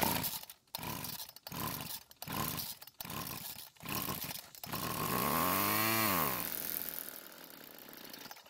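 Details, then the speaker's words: Old Homelite two-stroke string trimmer that quit and wouldn't restart: several pull-cord rasps, then it catches with a rising, falling buzz for a few seconds after fuel poured into the carburetor throat, before dying; fuel lines not yet connected. "So after putting some fuel into the carb's throat, it started and ran for a few seconds, which is great news."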